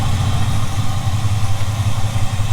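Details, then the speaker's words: 1975 Ford F-350 that sat about 20 years, after running a while to work out the kinks, idles with a steady, even low rumble and no misses or hunting; earlier shakiness gone, now idling smoothly. "well folks let it run for a little bit working out some of the Kinks got our idling smoothly right now"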